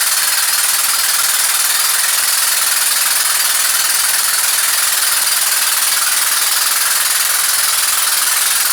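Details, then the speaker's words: Rescued engine rebuilt with donated parts, timing correct, 40 psi oil pressure: loud steady jackhammer-like hammering about four beats a second; heavy knock at number one cylinder, previously damaged, suspected wrist pin, not confirmed. "Got oil pressure, got 40 pounds of oil pressure with a knock like that. But I think that it's going to be the wrist pin."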